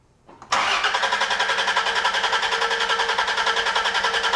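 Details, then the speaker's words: Chrysler with a gear-reduction starter on an extended crank test with the ignition module disconnected, for a customer's machine-gun-sound complaint. It cranks briskly and evenly at just over 100 amps and just under 12 volts: healthy starter cranking. "Okay, just over 100 amps and just under 12 volts. So, the starter is working beautifully."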